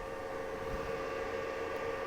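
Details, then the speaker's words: Old rack-mounted file server (about 40 TB storage, Ubuntu Server) with a loud, steady high-speed power-supply fan whir near 500 Hz, the sole source of noise in the household; server due for replacement. "this is a 40 plus minus terabyte storage server that is running um a version of Ubuntu server and as you can hear it is the sole source of noise in this household because"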